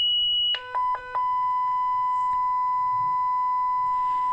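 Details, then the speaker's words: 1994 Schlumberger Stabilock 4040 radio test set (6802 CPU) with a defective power supply, shorted and leaked capacitors: at power-up a high tone, then a stutter of short beeps, then a long lower tone as the self-check reports a fault (error 41 or 4.1 in U4?). "and then it stops here [Music] so that's definitely a self-check problem so there's a lot more to go through here"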